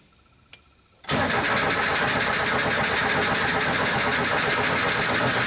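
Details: Porsche 914, 47 years old, with antiquated fuel injection that won't start. Injector flow and spray test fine, and a computer fault causing too much fuel is suspected. During a continuity check at pins 12–21 while cranking, the starter churns about 2.5 beats a second and the engine never fires.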